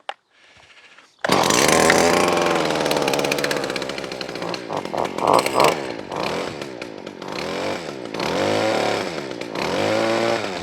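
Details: Stihl FS40 two-stroke strimmer found at the dump, started on choke with no strimmer head fitted: buzzy note rising and falling sharply with throttle, revs freely and runs cleanly.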